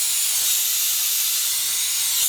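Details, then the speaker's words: Two-ton commercial AC condenser, system out of refrigerant, pressurised with nitrogen for leak search: loud continuous high hiss at the compressor wiring entry; compressor terminal seal blown and leaking, burnt refrigerant smell; condenser to be replaced. "leaking sounds like it's leaking right here [Applause] blow the compressor blow right there you can hear it see on the compressor"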